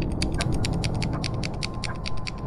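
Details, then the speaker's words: Lens focus ring grinds with rapid, regular gritty clicks, about eight a second, when turned past two metres; the lens focuses only to 2 m and the ring then sticks, pointing to a binding focus mechanism. "objektiv was sich na ja nur bis zwei meter fokussieren lässt und danach ganz egal wie viel ich hier am fokusring drehe da irgendwie klemmen bleibt"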